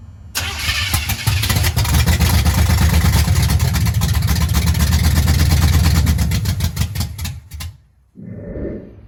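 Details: 1983 Chevy C10 small-block with a 750 Quick Fuel carb replacing a 600cfm Holley, fuel backfed toward the pump: long cranking catches into a rough, uneven idle, then stumbles and dies. Fuel pump suspected, later replaced; timing issue also suspected.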